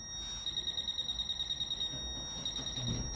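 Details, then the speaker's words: Fisher F-Pulse pinpointer air test with no obstacle: quick pulsing high beep about three a second with the probe several centimetres off the coin; the contact field is too wide and at this distance the pinpointer cannot tell where the object is. "Donc ça c'est le champ de contact que nous avons avec le F-Pulse, sachant qu'il a été positionné ici. Donc c'est-à-dire qu'en fait le F-Pulse, à cette distance-là, eh bien, en fait finalement il ne sait pas où se trouve l'objet."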